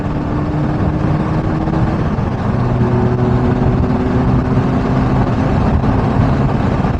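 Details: Mini R56 after replacing the split front flex pipe with a repair section, clamps and sealant: steady, even exhaust drone with level low tones and no puffing, ticking or blowing leak; the exhaust sounds sealed and healthy.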